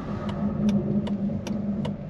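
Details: Kia Sedona while driving, grinding reported from left front: metallic scrape about 2.5 times a second over a low hum, frequency changing with speed; front brake pads worn to the backing plate.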